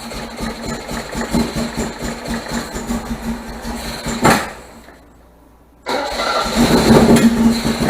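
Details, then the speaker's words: 1978 MGB after fitting rebuilt carburetors and deleting ignition points, started on starter fluid with no choke cable: lumpy idle stumbles and dies, refires and hunts roughly; still running rough and very rich, owner wonders if valves are too tight. "For some reason, she still runs rough. And that's after even building the carburetors."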